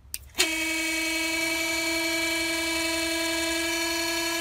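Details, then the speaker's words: Auxiliary water pump from 2009 Toyota Prius 1.5L, bench-tested dry under 3 seconds: sharp switch-on into steady clean high whine that changes pitch when the inlet is covered, showing strong suction; pump works properly. "you you can hear the sound change"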